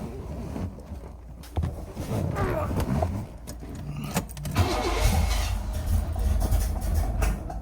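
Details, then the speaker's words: 1981 Chevy Corvette, brand-new V8 with overheating and fuel-leak issues: first start after carburetor change, radiator cleaning, electric fan, insulated fuel line, new fuel filter, spacer and transmission seal. It cranks, catches around five seconds, then settles into a steady, even cold idle. Normal cold start. "All right, so this first time start since we've done all of that."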